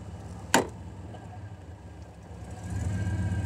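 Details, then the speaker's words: 1991 Chevy truck idling, shifted from neutral into drive: clunk into gear, then a thin steady whine over the rumble. Whine also occurs in reverse, stops out of gear, and fades on take-off. Cause is torque converter failure. "you get that whine right there. You take it out of gear, it goes away. It even happens in reverse."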